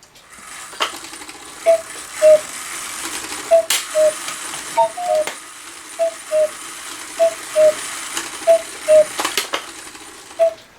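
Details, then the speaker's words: GK 1900 Rail Road Quail cuckoo clock with its strike train triggered by hand: paired cuckoo calls keep repeating with a tick between and won't shut off. Owner suspects a part that should move isn't moving. "so now it's not shutting off, and you hear that tick. There's something move or not moving that's supposed to move in there."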